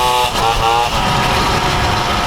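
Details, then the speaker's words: Motobécane moped with Polini kit, climbing hills under load: buzzy two-stroke note pulling steadily with no misfire or rattle, a little less power than with the Simonini, a bit soft when reaccelerating. "monte encore très très très très bien vraiment une machine agréable à conduire pe un petit peu à la relance mais ça le fait"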